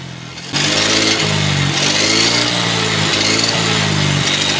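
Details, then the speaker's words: Yamaha Xeon RC 125 scooter starting into a steady low drone whose hum swells when throttle is released: final drive gear hum, worse when riding and decelerating. "Nah itu suara gardan yang apalagi ini ketika kita kendarai kemudian ada penurunan di tahun 12 pasti suaranya agak menyaring sekali bunyi dengung begitu teman-teman"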